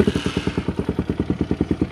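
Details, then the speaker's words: 2017 RPS Hawk 250 motorcycle cold start at about 60°F on half choke, idle recently lowered after running too high: crisp, even thumping at about eight to nine beats a second, steady and strong; fires up easily. "I mean, it's like 60 degrees out right now, and that thing just fires up on half choke. So easy."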